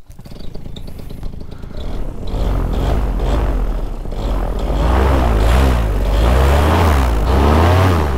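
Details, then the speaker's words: Vittorazi Moster 185 paramotor, Walbro carburetor, after slightly closing the main jet: small two-stroke settles into a steady, even drone holding a slightly higher idle; running a lot better, smooth idle. "running a lot better and it's actually idling a little higher too"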